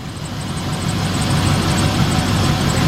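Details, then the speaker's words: 2007 Chevy Express 3500 van V8 at first start after the Motor Medic flush and final oil change: a steady, low, even idle with no ticking. The former clickety-clack sticky lifter noise is gone; normal idle. "From that clickety-clack, tickety-tack, sticky lifter to this now. Perfect."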